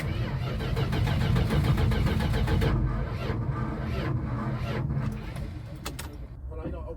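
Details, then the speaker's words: 1973 Chrysler Newport 400 cu in V8 from a junkyard, unrun for years: starter churns steadily with starting fluid and throttle open but never fires; owner suspects weak battery or distributor wiring. "think it need a stronger battery it's either the battery or if it's not popping off probably got to look at the how the wiring how the the um let's see distrib yeah distributor wires and stuff"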